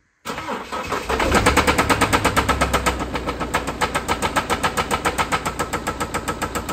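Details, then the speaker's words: 2016 Mini Countryman R60 Cooper D, BMW 2.0 N47N diesel, idling on tripod: starts then heavy harsh metallic clatter about four beats a second; severe internal mechanical knock, cause not yet confirmed, engine to be removed. "je la démarre au ralenti quelques secondes pour vous faire écouter le bruit qui est assez horrible"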